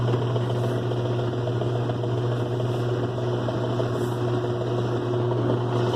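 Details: 2005 Kenmore 70 Series direct-drive washer on slow spin: steady low hum with a constant rough drone, no knocking; drain/water pump suspected noisy, believed dirty inside.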